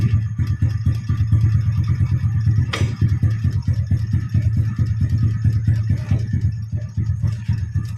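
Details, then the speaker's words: Yamaha Jupiter Z motorbike converted from a manual clutch back to the standard automatic double clutch. An even low engine beat holds steady in gear, with no slipping, chatter or grab; the clutch engages normally. "okay, you can hear the sound of the engine bro, the sound in the clutch area [Music] is smooth."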